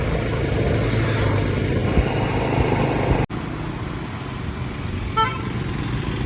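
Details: Honda CD100 SS after full strip-down restoration, road test ride: small single putters along steadily under road and wind noise, brief horn toot midway; runs clean and even after the rebuild.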